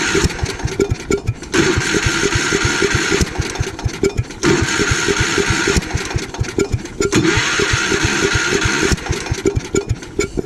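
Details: Gravely Commercial 12 with 34-inch snow cannon, cold start after about a month unused, carb cleaner sprayed in, possible ice in bowl suspected: engine sputters to life briefly then dies each pull, never holding idle; fuel problem suspected.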